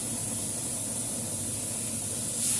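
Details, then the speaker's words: Freezer box compressor tested while repairing a not-cold fault, condenser fan running: steady airy hiss of air blowing out the filter port, no knocking or rattle; compressor pumps normally. "dan di sini mesin kompresor sudah hidup ya Ada hembusan udara yang keluar pada filter mantap Ini artinya ya jadi sudah tidak ada masalah normal semua"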